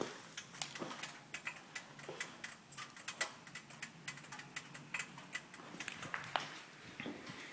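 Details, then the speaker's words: 2009 Lancer Ralliart cabin with little engine sound: sharp, slightly irregular ticks seeming to come from under the passenger and rear passenger seats, possibly fainter under the driver's side, likely not the engine bay; cause unknown. "sounds like underneath the passenger seats as well as the rear passenger seat that's what the sound is coming from"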